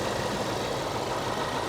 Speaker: We got the supercharged V8 version, and it runs good. I mean, it really does.